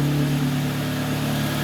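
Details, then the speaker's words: 2009 Kia Ceed 1.6 G4FC, 177,000 km, after repair for oil consumption of a litre per 1000 km and knock, heard from outside: smooth, quiet idle with an even hum, no knocks or ticks; normal idle. "работает ровненько работает тихо на этом я думаю заканчиваем серию"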